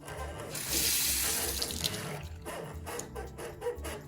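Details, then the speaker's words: Two-handle Delta bathroom faucet, cold side, with water running: short creaks and squeaks as the stiff handle turns, caused by a failing seal. The hot side sounds fine. "Geeks and Creeks like nobody's business and it's hard to turn well that's because the seal is going bad in there and it's causing a problem"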